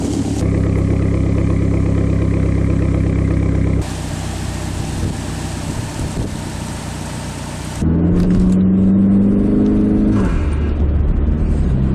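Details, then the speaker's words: PT Cruiser GT after preventative maintenance to cure idle/startup misfire, cold damp day, long sitting: steady even cold idle, no stumbling or misfire, faint belt-like whine; idle normal, sounds much better. "So already just starting the car up from a cold start, it sounds way better. The idle isn't doing anything weird, which on a day like today, it probably would have."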